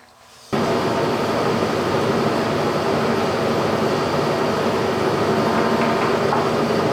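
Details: Machine with G&L facing and boring attachment, after checking spindle play (under half a thousandth with a 3-foot breaker bar): starts and settles into a steady even whir, no knock or grind; spindle runs smoothly.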